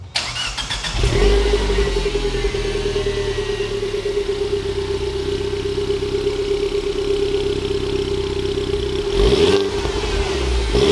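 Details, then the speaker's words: Cheap Mini Cooper S before back box delete: engine catches after a second, settles to smooth even idle, then one clean blip; sporty, pops and bangs a little off throttle above 3,000 rpm; healthy. "It sounds alright, sounds nice and sporty. It pops and bangs a little bit when you let off the throttle over 3,000 RPM."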